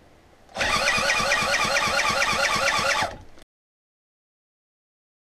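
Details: Project Citta restoration, first engine test: steady rhythmic cranking, about three strokes a second, never firing; appears to have spark and compression, owner suspects fuel; cranks but won't start.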